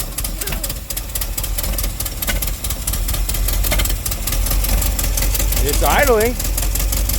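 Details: 1957 Chevy after sitting 35 years: lumpy, uneven idle with irregular firing; distributor left loose, giving wandering, variable ignition timing.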